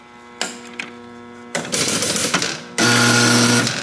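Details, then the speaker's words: Barn-find 1961 Gottlieb Corral pinball machine after years in storage: a steady electrical hum with uneven bursts of clattering relays. It runs rough, with relays jammed or sticking and no scoring; repairs needed. "Oh my god, that sounds terrible. Okay, that needs some repair."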